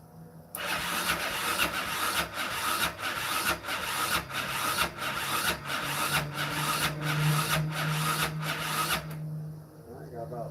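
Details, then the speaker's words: 2001–2006 Yamaha Raptor 660 cranking slowly and labouredly at roughly ninety turns a minute, uneven and never firing. The starter motor is suspected of going bad. Slow cranking, cause not confirmed. "Yeah, I mean, starter motor could be going bad too."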